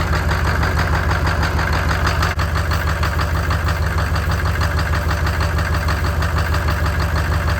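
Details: Chevy 6.5L diesel after replacing a bent push rod that caused knocking and popping; settles into a steady even idle with regular low pulses and no knocking or popping; normal idle.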